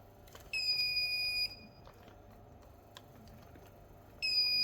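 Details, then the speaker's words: Asus TUF FX506L laptop motherboard, dead with a short on the main power rail from a bad MOSFET: bench supply injecting 1.44 V gives steady high-pitched beeps about a second long; short-circuit alarm. "Okay, it seems like 1.4 4 volts is too small cuz you can hear the short wants to bend but it's not bending same time."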